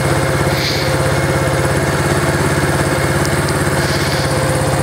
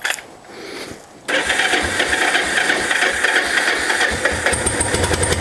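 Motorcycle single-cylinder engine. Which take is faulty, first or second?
first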